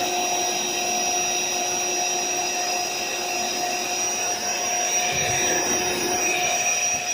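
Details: AeroBed Deluxe Raised double air bed, built-in electric pump almost done inflating, pinhole leak suspected near the bottom: steady high whirring hum with even tone, no stutter or rattle; pump inflating normally.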